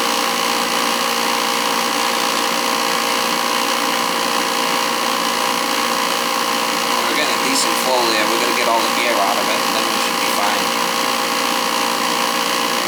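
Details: Old oil boiler burner running with the FF jumped out: loud steady roar with a rough, fluttering hiss; noise from the burner's air shutter.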